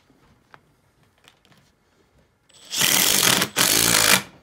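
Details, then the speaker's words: Makita XDT14 brushless three-speed impact driver at full speed, driving screws into drilled holes: a quiet pause, then two loud bursts of rapid, sharp hammering with a high buzzing whir. The impact mechanism is working normally. "this is the makita xdt 14 brushless three-speed impact driver and we'll be doing it on full speed"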